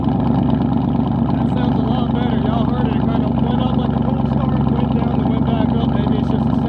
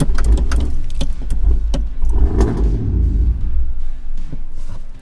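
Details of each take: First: Cammed 450 HP lifted Tahoe V8 after installing new auto air control valve to fix high idle: loud choppy idle with steady even lope, no hunting or stumbling; idle running right. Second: Cammed 450 hp lifted Tahoe just fitted with a new idle air control valve, heard from the cab. The starter churns rhythmically for several seconds before the engine catches; the owner first suspected a dead battery. A long crank before start.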